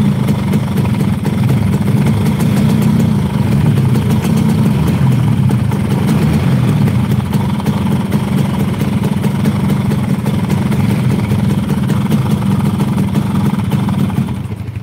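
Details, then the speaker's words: Yamaha RX King two-stroke that stalls when revved: buzzy idle with an uneven, lumpy beat that fades at the end. Rough idle from a faulty carburetor, with an oversized pilot jet and a leaking membrane. "satu motor Ini masalahnya di karburator ya masalah utamanya itu di karburator jadi karburator jelas bermasalah banget"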